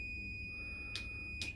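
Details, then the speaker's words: Multimeter continuity test on an on/off switch; steady high continuity beep with two brief clicks as probes are handled, contacts closed. Switch good. "And it's that working and not working tells you that the switch is okay."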